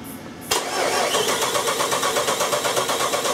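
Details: Jeep 4.7 V8 cranking with the starter spinning evenly at about three beats a second but never catching: a crank-no-start caused by a failed cam sensor.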